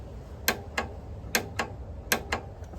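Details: Starter solenoid on a 1984 CR500 / 1982 Honda Odyssey FL250 project, wired to the switch with the battery hooked up and the starter not yet fitted: sharp paired clicks about every 0.8 s in a quiet room. The solenoid, already verified at 12 V output, pulls in and works properly.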